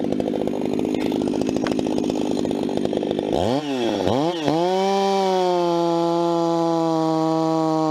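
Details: Vintage 266 chainsaw, recently started after sitting a while, bucking firewood: steady scream while biting through the round, then an even high rev; strong, clean, no misfire or bogging; normal cutting under load.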